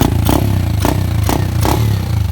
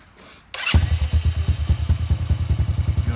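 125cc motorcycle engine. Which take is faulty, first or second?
second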